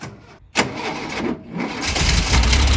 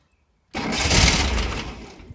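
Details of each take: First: 40-plus-year-old VW T2 Bay Window camper parked for 18 months, battery possibly weak after earlier failed attempts: short cranking burst, then it catches and settles into a lumpy, uneven run. Normal start. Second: Over-40-year-old VW Bay Window T2 camper started after 18 months parked, with choke and clutch in; cold engine cranks loudly, slows and fades, never catching. Owner suspects a dying battery: crank no start.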